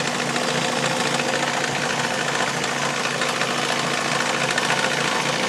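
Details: Mazda Miata at idle: light busy metallic rattle at front of engine near the timing belt, unchanged with accessory belt removed; owner suspects timing belt tensioner or idler pulley, unconfirmed.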